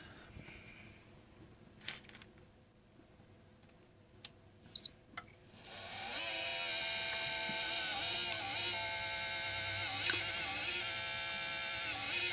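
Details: Nyko Intercooler fan for PS4, after sitting about 12 hours: a few clicks, then the fan spins up into a loud, raspy, high-pitched grind with a wavering whine, getting louder; owner suspects a defective unit.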